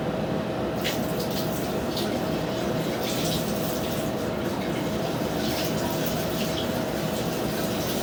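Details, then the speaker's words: Sanitary lateral inspection at a house drain, water dumped in, heard through the cleanout; a continuous soft rush and trickle with no gurgling, water level not rising, trap holding water. Drain flowing normally. "Yep. And it's coming through just fine. Water levels not increasing. You can hear it coming through the clean out."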